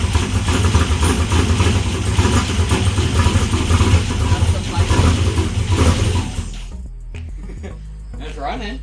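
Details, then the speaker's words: Blazer with wrapped headers, first start once fuel is supplied: a deep, lumpy V8 rumble catches and runs on its own for several seconds, owner expects it to run rich, then drops away; it sounds good. "i told you it'd be no effort to get this thing to start all it needs is fuel and it's gonna run fuel oil i mean some other crap but it's gonna be rich because the fuel is gasoline yeah i mean it sounds good"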